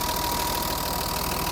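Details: BMW 325i E30, M20 engine, cold idle just after valve clearances set to factory values: fast even tappet ticking over steady idle.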